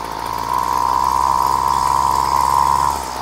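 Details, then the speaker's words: Flymo Maxi Trim two-stroke pull-start strimmer, choke backed off slightly: revs up and settles with a loose, burbling note and a steady high tone; mixture running rich. "think that's really rich now guys"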